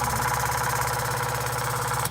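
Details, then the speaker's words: Genie Pro garage door opener motor giving a loud steady hum with fast buzzing pulse, then cutting off, before operating; fixed by repositioning the rail bar and reconnecting the wiring. "so right now it's you can see the back side is spinning it gives that humming sound once in a while"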